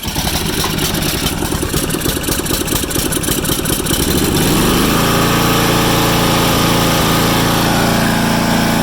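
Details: Swisher pull-behind mower engine after fitting a new aftermarket carburetor and sorting the choke: pull-cord rattles about four seconds, then catches and settles to a steady, even, healthy run.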